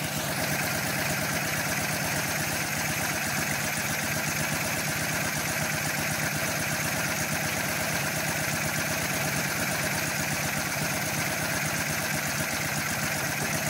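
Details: 1981 BMW R100RS boxer, first start after years standing, rebuilt with Mikuni VM32 carbs and improvised Audi and Golf coils. Smoky, with a steady fast knock over the idle, strongest on one side; the big end seems to be knocking on the right cylinder.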